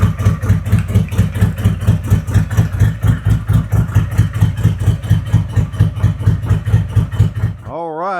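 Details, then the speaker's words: 2021 Harley-Davidson Road Glide 114 after a CR483 cam install with ThunderMax EFI, Trask header, S&S intake and 5.5 injectors; the mufflers took on a different tone. Lumpy V-twin idle with deep, even pulses about two a second, steady and healthy, then a clean shutoff. "mufflers took over a totally different tone. Yeah, it's got a different car."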